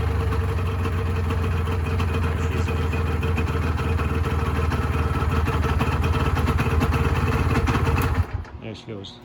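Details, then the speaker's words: 1986 Honda NS400R 400cc two-stroke triple, started after sitting 11 months: a steady, crisp idle that holds even for eight seconds before shutdown; normal, healthy idle. "it'll fire on one cylinder and then the second ceiling will kick in and then the third cylinder will kick in"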